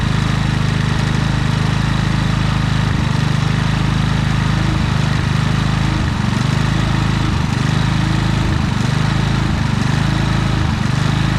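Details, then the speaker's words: Predator generator with many hours, began surging after running a week and running out of gas; engine speed hunts every second or two; carburetor jet cleaned but the cause was a misadjusted idle stop screw hindering electronic idle. "so well guys it wasn't really the carburetor i mean there was some dirt in it but it was actually just this little idle screw right here"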